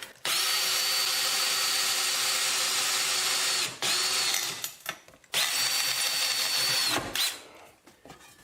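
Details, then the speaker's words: Drill boring through hard steel with an oiled bit over a backer board, building a homemade sawmill blade sharpener: high steady whine in runs of a few seconds, holding speed; cutting. "now you can hear them let's see I don't know if this will work yes it is working but barely it's working"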